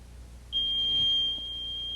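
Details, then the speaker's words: AT&T 9000 security system burglar alarm: a single steady high-pitched electronic tone, one long tone then silence. "one long tone followed by a silence"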